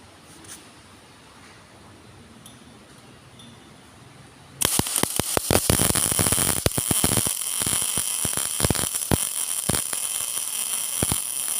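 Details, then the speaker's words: GMAW MIG welding at the correct setting of 17.8: after a quiet start, a steady, even frying crackle with no stuttering or popping, smoother than with wire too slow or too fast; normal arc. "Oke, secara suara saja akan lebih halus dibandingkan ketika kecepatan wayar kurang ataupun terlalu cepat."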